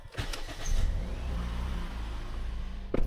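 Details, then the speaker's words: 2011 Toyota Yaris 1NZ-FE after DIY tune-up and battery reconnect: brief crank, then catches and settles to a smooth, clean idle around 900–1,500 rpm, dropping toward normal 700–900; normal start and idle. "Oke. Nah, ini eh sudah nyala ya, tuh. RPM di angka 900-an. 1.500 ya, teman-teman. Ini eh bagus sekali ya. Bersih nih ya, teman-teman."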